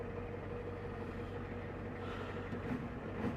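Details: 1989 Ford F250 7.3 IDI diesel idling after battery replacement: low steady diesel clatter, quiet and even with no misses or surging; idling normally.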